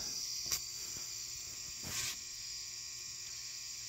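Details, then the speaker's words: 400W high-pressure sodium floodlight on its first run, warming up and getting bright: a steady high-pitched electrical hum over a constant buzz, unchanging. The ballast hums loudly. "hope you guys can hear that humming from the ballast getting pretty bright"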